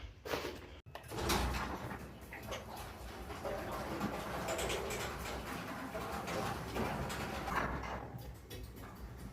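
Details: Garage door after replacing metal rollers with nylon ones and swapping the chain drive for a belt drive: it rolls along the track with a soft, even rumble and no squeal or grinding.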